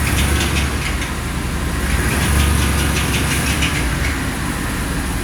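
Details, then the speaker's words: 2013 Chevrolet Avalanche driven slowly the same day after transmission repair: quick, fairly regular clack about four a second over a low engine rumble; new noise, cause unknown. "Es un ruido ahí, clac, clac, clac, clac, clac, clac, clac. No sabemos lo que es."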